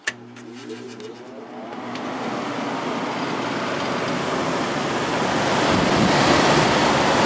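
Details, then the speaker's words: Vintage 1972 GE Slumberline 6,000 BTU window air conditioner, GE fan motor, switched to high: switch click then an even building rush of air, no rattle or scrape; fan normal. "plenty of air flow started it's already starting to get cold we are now at at 5.9 amps give or take 6 [Music] amps"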